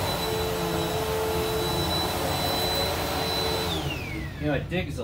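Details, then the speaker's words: Bissell PowerForce Helix vacuum after brushroll bearing replacement and new belt, run on carpet at height position four: smooth, even motor roar with clean steady high whine, then quiet wind-down at switch-off; runs very close to new. "but yeah it runs literally very close to a new machine minus the scratches and stuff that you see in here"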